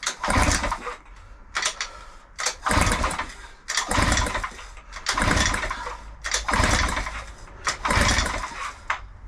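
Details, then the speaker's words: Mercury outboard, sat 5+ years, cylinders fogged, compression test on the bottom cylinder at wide-open throttle: about eight even pull-start bursts with firm chuffing strokes; just above 115 PSI against a 110-120 spec, as good as new. "and it should record the highest rate of compression and we are don't know if you can see that just above 115 PSI now Mercury state from New for one of these it should between 110 and 120 PSI so that bottom cylinder in theory is as good as new"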